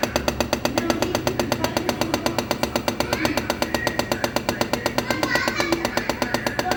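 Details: Refrigerator compressor making a steady, fast, evenly spaced loud knocking, about 160 a minute, over the compressor hum; urgent sign needing a professional technician.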